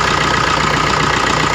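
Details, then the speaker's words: New Maruti Suzuki Dzire diesel, after fixing 3-second knocking at start caused by a loose fuel temperature sensor coupler with a damaged O-ring on the fuel filter: restarts normally, even diesel idle with steady beat, no knock or rattle. "चल मार एक बार, देख सकते बिल्कुल normally start हो रहा है। तो इस तरह से अपना प्रॉब्लम सॉर्ट आउट हो गया।"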